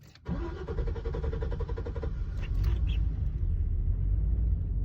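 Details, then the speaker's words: 2006 Chevy Silverado 2500 hard start after refueling: about two to three seconds of cranking, then it catches and runs rough before smoothing out; worse with a full tank. Owner suspects a stuck-open evap purge valve solenoid, part 91130. "crank for maybe 3 seconds there. But it kind of runs rough and then it smooths out. And if I fill it up, it's even worse."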